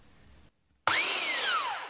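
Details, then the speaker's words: Flea-market hand belt sander, German plug via an adapter, first power-up: motor snaps up to a high, clean, steady whine, then winds down smoothly on switch-off; runs normally, though the belt needs tracking. "it works I don't know why I jumped like I was so surprised that it actually came on"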